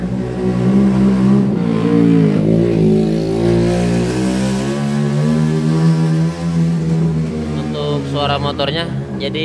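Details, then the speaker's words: Honda Vario 125 scooter with a rough engine: revving up and down gives a deep, rough rumble under the engine note. The mechanic attributes it to a worn left-side crankshaft bearing; the engine is being split to replace it. "suara motornya bergemuruh nah ini biasanya disebabkan oleh bearinguk as khususnya bagian sebel seb sini ya sebelah kiri kalau misalkan posisi ke depan ya bearing kuk asnya"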